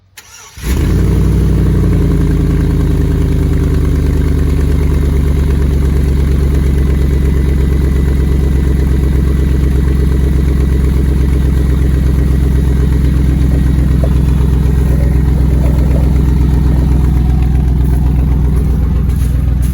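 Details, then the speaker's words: 2003 Silverado V8 recorded under the truck near the exhaust flange: loud deep idle with a rapid puffing tick. The flange is separating because its bolts are broken, one missing and one loose, causing the exhaust leak. "but you can just try to set you up flat so i can label this but hear the noise you see it kind of separating that's because that bolts loose"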